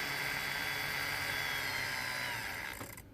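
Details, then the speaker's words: Dapol B800 DCC motorized track cleaning wagon with the Hoover vacuum attachment, ramped up slowly: thin, steady high whir with no rattle, then spins down; running fine and picking up debris. "so noise wise let's have a look but just turn it on see ramping it up nice and slow that's the Hoover attachment so we're not too bad"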